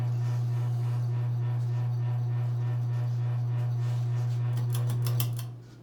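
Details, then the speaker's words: Circa-1985 Evergo 4E-6EALW 52-inch hugger ceiling fan, cast-iron motor, on low speed; constant low electrical hum with faint clicks, fading as it is switched off; persistent motor hum, likely from rotted-away rubber bushings. "traditionally ever go Union thing and unfortunately the motorhome still is rather persistent as well"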